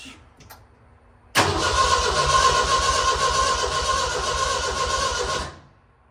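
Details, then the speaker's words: 1965 stretched Jeep CJ5 on a 1985 Ford Ranger chassis, freshly fueled and rewired, cranking steadily at about four turns a second for four seconds without firing. Crank, no start; owner suspects no spark but has not checked. "I tried to crank it she just kept turning over wasn't firing off pretty sure there's no spark"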